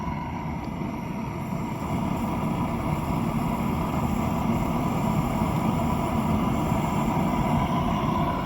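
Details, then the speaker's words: Rebuilt kiln gas burners, three lit, regulator turned up to about 2, judged enough to fire a small kiln: steady, even roar with low rumble, no sputter or popping; normal burner roar. "This right here, 2, would, that sound right there would definitely be enough to fire out one of those kilns right there. So you don't need very much pressure."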